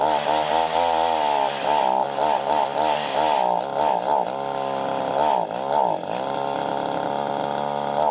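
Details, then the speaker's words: Two-stroke pole saw just started; high buzz rises and falls unevenly, bogging instead of revving cleanly: poor throttle response, owner suspects high-speed carburetor needle out of adjustment. "there now it runs I definitely got play around that carburetor sounds like it's got to be the high needle right is out of adjustment or something no throttle response to it so but at least it starts"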